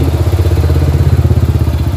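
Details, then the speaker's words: Suzuki S-Presso, one year old with about 21,000 km, at idle: heavy low throb with a fast, uneven shake, excessive engine vibration of unknown cause, to be treated with XADO without opening the engine. "pero makikita mo yung vibrate niyan yan oh yan yung ah kailangan nating may address kung bakit Malakas ung vibration"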